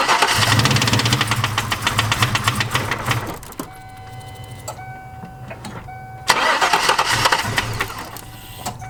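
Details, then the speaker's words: Starter churns about four beats a second with a chime between tries, never firing, after a Typhoon intake manifold install; owner suspects the tune. Crank, no start, cause unconfirmed. "this thing literally does not wants a fire right now so give me some time guys"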